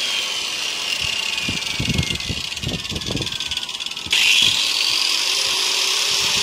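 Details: Hand grinder with a 4-inch circular saw blade slowed by a 2000 W dimmer: high motor whine holding a lower steady pitch, then stepping up evenly, no grinding or rattle; runs fine at reduced speed.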